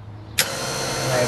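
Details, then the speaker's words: Warn VRX 35 winch after disassembly, fault turned out to be wrong wiring: motor kicks in abruptly, steady even hum and whir with no grinding or stutter; normal winch motor running. "i don't know what to tell you let me just play with it a bit okay well it works"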